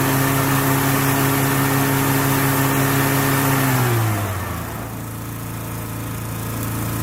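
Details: Lawn equipment cold start for spring, with the blade-engagement cable still a little tight. Steady, even note without slipping squeal or chirp, then a smooth drop in speed; belts sound good, normal running.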